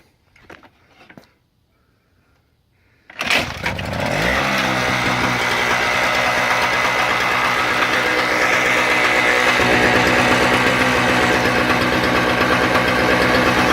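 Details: Toro CCR 2000 snowblower, Suzuki 4.5 hp two-stroke with Mikuni carb, after fixing broken coil wire and blocked pilot jet: primed, choke open, pull-start catches and buzzes up to steady, even running with no misses; normal running.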